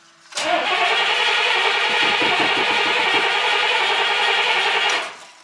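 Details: Carbureted classic vehicle, accelerator pump being used: the starter spins steadily over four seconds without catching. A long crank and hard start, cause unconfirmed.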